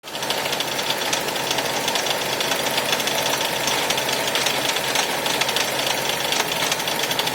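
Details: 2001 Toyota Camry petrol engine with severe rough idle: harsh, rapid jackhammer-like knocking clatter; smoking with a burning smell, shut off.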